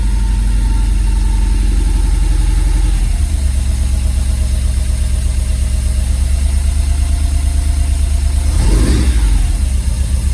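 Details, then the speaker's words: Ford prototype Corsair GT with a fuel-injected Essex V4, first start in 1.5 years, freezing cold: it idles low and a bit lumpy with an uneven beat, a slight cold-start misfire. "got a little bit of a mire it is freezing cold I"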